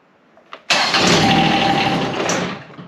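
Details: John Deere X758 diesel after an air and fuel filter change, after cycling the glow plugs: it fires and runs rough for about two seconds, then sags and dies. It catches but stalls, a hard start; this engine likes its glow plugs.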